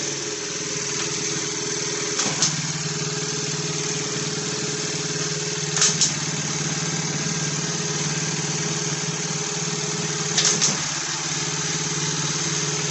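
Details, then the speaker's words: Roughly 90cc pit bike found on a rubbish pile, on a milk crate, being run through the gears. Steady engine note with three brief clunks as gears engage. Shifting sounds clean and the transmission works. "so I'll start it up and I'll ramp through the gears just to see if our transmission is working"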